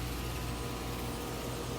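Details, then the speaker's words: Three-ton soft-sound premium-line condenser, camera right beside the unit: low steady hum with even airy rush, no knocks or rattles; running quietly, normal. "it's pretty quiet these were actually pretty good machines"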